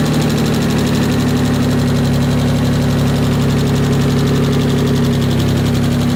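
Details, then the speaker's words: Mitsubishi 3000GT VR4 engine first started after sitting over a year: loud steady running with a fast faint ticking about four a second; lifters lacking oil at the top suspected (injector also suspected), tick later went away completely. "the tick completely went away I was just excited over looking it was just like the they're not actual lifters but pretty much lifters just weren't just to have oil in them yet you know this engine sat for over a year"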